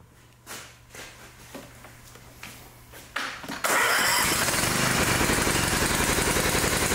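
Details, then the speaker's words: Newer riding mower with electric throttle: faint knocks, then a steady, even run with the air filter removed. The filter was plugged, which made it run rich like the choke was on and fouled the plug. "took the air filter off and it ran fine."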